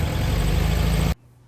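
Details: Original 1964 VW Beetle sunroof car, first drive in 20 years after fitting a new clutch-arm spring: brief, even low engine note with a steady beat and no knocks, then cuts off; running sweetly.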